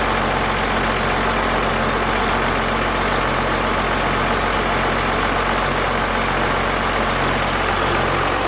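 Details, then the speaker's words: First-gen 12-valve Cummins after a valve adjustment, idling with the valve covers off: a loud, steady diesel idle with even clatter and the valves much quieter than before; running smoothly. "Guys, she is running fantastic. Sounds so much better than before. Quieted down the valves a ton."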